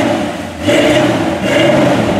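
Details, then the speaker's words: 1984 Chevrolet C10 with 350 V8 and Edelbrock four-barrel, new exhaust, cold engine: hesitates at the start of the rev then runs on unevenly; stumble on revving, owner suspects it's just cold. "stumbly a little bit little cold for reving probably a little cold"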